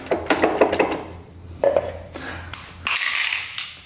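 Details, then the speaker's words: 1996 Kawasaki KX250 two-stroke that shut off while riding, crank turned by hand in fifth gear: irregular hollow metallic knocking inside the engine; crank turns with the flywheel, so the woodruff key is intact. Found a grenaded piston, apparently from running very lean. "I don't think the woodruff key gave out, because as you turn the flywheel, you can see the crank spin too. But you hear that knocking in there?"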